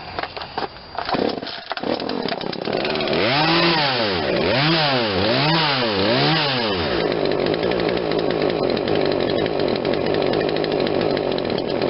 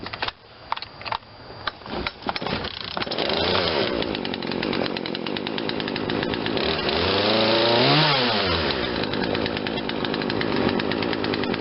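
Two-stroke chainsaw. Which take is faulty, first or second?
first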